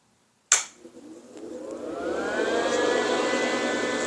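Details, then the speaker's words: MIG welder whose cooling fan reportedly bogs down while welding, run before a welding test: a click, then a whirring tone that climbs and holds steady with no rubbing or slowing; the fan spins freely. Owner wonders whether it is a supply issue to the fan. "Fan is flying. Yeah, so I'll throw down a couple of beads on a piece of scrap metal and we'll see what happens."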